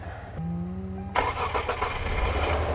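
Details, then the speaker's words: 2009 Hyundai Santa Fe, 250,000 miles, previous night's starter cranked very slowly, now jump-connected to another car: brisk starter whir under a second, engine catches at once; cranking and start healthy; normal cranking and start. ">> Okay. So, it starts right up. >> A bad battery. I think >> that's a good sign. The starter sounded pretty good."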